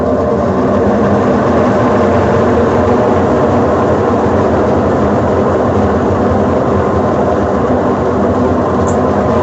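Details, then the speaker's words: Consul Facilite CWG11 washing machine during spin; loud constant deep roar like a jet turbine through the whole spin. Worn drum bearings needing replacement, along with a related set of parts. "tá aí minha gente esse defeito aqui é o problema de mecânica tem que trocar os rolamentos certo"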